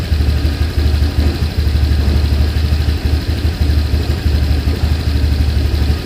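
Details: Honda Vario 125 LED scooter that hesitates and won't move on initial throttle: an uneven, lumpy idle beat that dips now and then; scanner diagnosis found a dirty air filter upsetting fuelling.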